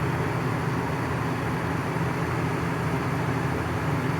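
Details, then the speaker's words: Coleman Mach 15,000 BTU RV air conditioner on low cool: loud, steady low roar with deep hum and airflow rush, too loud to hear the TV over. "May not sound that noisy to you, but you can't hear the TV over it."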